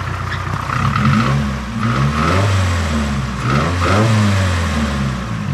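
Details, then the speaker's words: Nissan SR20DET (S13/180SX/240SX) after fixing a vacuum leak, vacuum now good: after a blip the revs drop, then surge slowly up and down instead of settling; the idle is hunting and the idle screw needs adjusting. "gonna drop it's gonna it's gonna hunt a little bit and it freezes so far so obviously the idle screw needs a bit of adjusting"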